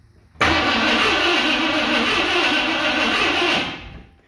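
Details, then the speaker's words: 1978 Ford F100 cranking on spark plug tester: three seconds of steady cranking that never catches or fires; brown-looking plugs, new test plug shows weak orange spark; cranking no-start from weak ignition spark, coil swap tried next. "yeah it's just orange I have a brand new test plug right here okay we got our new test plug in let's watch I'm just going to go ahead and say that spark is weak"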